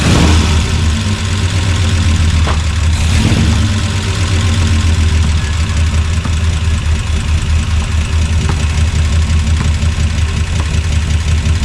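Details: 1976 Chevrolet C30 dually, freshly swapped Gen 6 454 big block with hydraulic roller cam, running on residual fuel after draining: deep, loud V8 rumble holding a steady idle with a slight uneven lope; rough idle.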